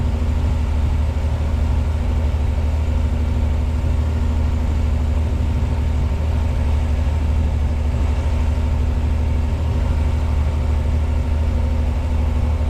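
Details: 1986 Pontiac Fiero SE V6, automatic, with a known high idle problem: just after start, warming up, it idles at 1,220 rpm with an even, fast, smooth low drone and no misses or knocks, slowly starting to come down.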